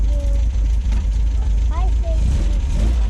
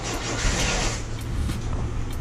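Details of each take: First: 1974.5 MGB with twin HIF4 carburetors after new floats and needles fixed flooding: low, even burble with no stumbling or hunting, idling better than ever. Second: 1974.5 MG MGB with twin SU HIF4 carburetors, started on a weak battery after new floats and needles to cure flooding, with the carbs still leaking; uneven, lumpy, stumbling idle; rough idle, cause unclear.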